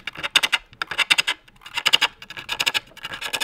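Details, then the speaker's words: Pole lathe bowl turning, starting at the base of an axed blank: grouped bright scraping clicks with gaps, the tool only hitting high spots, not yet a full-rotation cut. "And you can hear that I'm not doing a full cut. It's not a full rotation yet of a cut. It's just hitting those high spots,"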